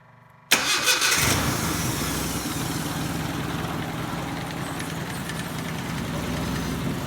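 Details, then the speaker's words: Nissan 720 pickup (Z24/KA24) first cold start after oil pump replacement, started by remote button: engine catches quickly and settles into steady, even idle, no knocks or rattles; oil light off, purrs like a kitten. "she's a bur like a kitten"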